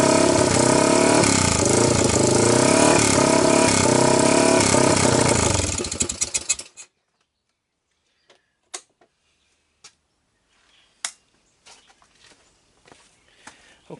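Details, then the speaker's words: 1998 Honda TRX300EX after loosening too-tight intake valves, starting on choke with no gas tank: single runs about six seconds with an uneven hunting beat, then dies. Carburetor fuel level suspected; owner also wonders about timing. Rough running. "so anyway I loosen them up a touch and they feel a lot better but the thing is still not quite right let me show you what I have"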